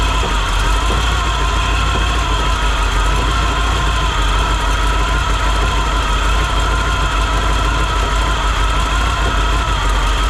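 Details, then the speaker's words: 1957 Chevy Sedan Delivery 4x4, 454 big-block, SM465, NP205, now pulling fuel from the tank: deep, even V8 idle with no misses, burning off spilled brake fluid; runs well enough to move on to axles. "I think it runs well enough that I'm going to move forward with putting the axles in and getting it driving"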